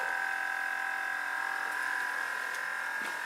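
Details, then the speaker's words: Porsche Cayenne after replacing blown 40 A air compressor relay fuse that caused Chassis System Failure: steady even high-pitched electric hum, no stutter or strain, as vehicle levels itself; air suspension compressor pumping normally. "Right now, I believe the vehicle is just trying to figure out how to level itself."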